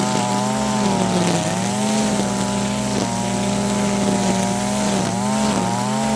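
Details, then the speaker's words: Stihl FS55R two-stroke trimmer after a HIPA carburetor swap, at wide open throttle cutting grass. Buzzy note burbles and dips instead of cleaning up, so the high-speed mixture runs rich; the high screw is then turned in 1/16–1/8 turn. "All right. So, that right there is staying pretty rich most of the time."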